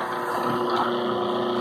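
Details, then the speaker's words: Ventisol wall fan that wouldn't switch on, with a blown fuse: steady droning hum with a rough, gritty edge at constant speed; the motor bearing is worn. "sendo que nesse caso tem mais problema além do fusível o rolamento está com o programa"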